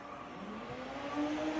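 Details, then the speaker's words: Harris RF-7405 transmitter/amplifier switched into operate mode: low, smooth whir rising steadily in pitch over under two seconds as the cooling fan spins up; fan working normally. "okay let's go into operate mode and you'll hear the fan spin up"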